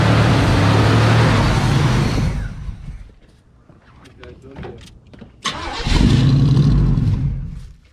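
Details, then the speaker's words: 1980 Chevrolet Cutlass scrapyard car with probably old fuel: V8 roars briefly, dies to near silence, catches again only while fed fuel up front; fuel starvation, either out of gas or needing a fuel pump. "And uh like I said, it's either out of gas or needs a fuel pump. So, it will run if we keep giving it the fuel up front,"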